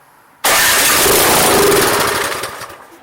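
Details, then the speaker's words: Troy-Bilt 2410 snow blower that ran last year but won't start, on electric start: catches with a loud burst on added fuel, runs about two seconds then fades; air, spark and compression verified, so fuel starvation. "remember air spark compression fuel equals combustion we just added fuel so we verified all these components so we need to get fuel back into the system"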